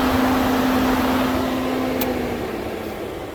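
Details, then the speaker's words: 1998 Jeep Grand Cherokee 5.9 electric radiator fan forced to high speed by shorting the sensor pins with a paper clip: steady whoosh of air and constant low motor hum, no rubbing or ticking; normal high-speed fan operation. "so yeah that was very clearly the high fan speed and yeah that's just a nice easy way to diagnose that"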